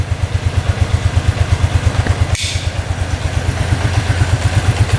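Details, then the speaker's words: 2001 Arctic Cat 300 4x4 ATV bought cheap, idling: even single-cylinder thump about six beats a second, nice and quiet, no top-end knock, no rod knock, no smoke, idle nice and low; normal healthy idle. "No knocking from the top end. Bottom end sounds good. No rod knock."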